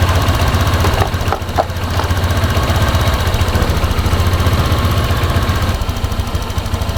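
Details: Honda Vario scooter that hesitated on throttle, after the fuel system was checked from the air filter to the throttle body and reassembled. It fires up into a fairly steady low putter, a little uneven at first, then idles cleanly.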